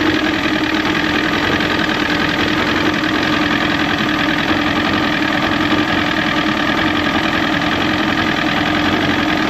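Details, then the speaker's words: Era-matched Evinrude 115hp outboard swapped onto 1973-74 Glastron hull, warm-up lever set down: smooth, even buzz at steady pitch, no knocks or misses; runs well, though water pump may not be pumping. "And it runs good."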